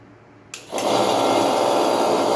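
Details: Refrigerator compressor motor direct-started without PTC relay and overload, start and run windings bridged via a push button: click at start, then steady even hum with light buzz, no labouring; running normally.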